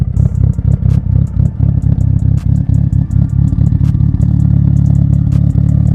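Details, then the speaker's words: Mitsubishi Evo 8 revving after a new fuel pump housing: a strong, steady note rising and falling evenly with throttle, no knocks or misses. Normal revving; the original cause is unclear. "it sounds like we fixed the problem i just don't know how that all started"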